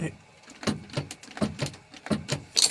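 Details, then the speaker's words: Small thinning forwarder that won't start: sharp single solenoid clicks every third of a second with no cranking, as the solenoid fires but the starter motor won't turn; fault suspected, not confirmed. "So the solenoid's clicking. It's trying to fire the start motor in. the starter motor won't fire."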